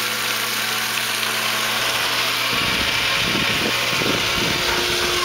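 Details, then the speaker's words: Old Aero-motor centrifugal pump on a shallow well, primed after over a year unused, running: steady low motor hum under hiss and splash of flowing water, no knocks or grinding; pump running normally. "an old Arrow motor still going strong we're going to put this cover on it keep the rain off of it"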